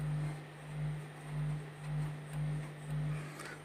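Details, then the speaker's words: Power amplifier at volume about 3 o'clock with an input cable plugged in from a Bluetooth module: steady low hum from the speaker, swelling about twice a second; poor-quality input cable suspected; no hum without input. "bisa jadi sahabat-sahabat menggunakan kabel yang kurang bagus kualitasnya juga bisa menimbulkan suara dengungan seperti Contohnya seperti ini ini di speaker sudah menimbulkan suara dengungan"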